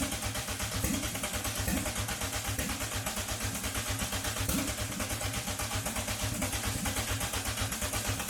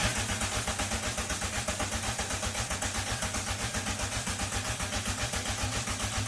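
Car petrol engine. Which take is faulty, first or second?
first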